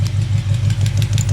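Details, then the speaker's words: Chevy 350 V8 idling with the rocker nut backed off a half turn during valve adjustment: steady idle with a light, quick tick on top, loose rocker lash tapping at the valve before readjustment. "So there's that half turn. Now it should start tapping. Yep."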